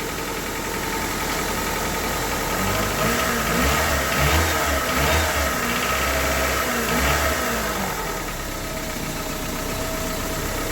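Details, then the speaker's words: 1998 Honda Civic with a long-sitting replacement engine swapped in after a rod bearing failure, just after its first start: an even idle at a steady, slightly low speed with no knock or tap; healthy, and it later ran well for 70 miles. "good shape all right idle was a little low but I'm going to take it"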